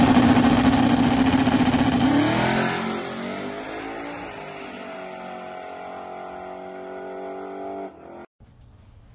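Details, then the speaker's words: Silver Z06 with six-point cage, stock suspension and tailpipes dumped at the diff, on its first full pass in eight months: a hard pull climbing smoothly through the revs, then backing off and fading; clean full power, normal. "all right so we just made our first full pass in the car in literally like eight months which it felt pretty good the car is very fast for what it's got a six point cage in it and it's stock suspension"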